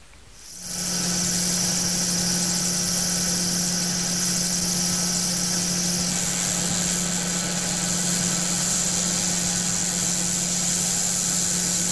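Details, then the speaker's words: SKF 60309 ball bearing running while ordinary cigarette ash is blown into it, heard through an SKF TMST3 electronic stethoscope: a steady low hum under a loud, gritty hiss from particle contamination. "let us listen while ordinary cigarette ash is being blown into the 60309 bearing"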